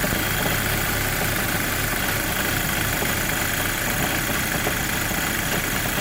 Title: Rough idle when cold gti mk5 part 2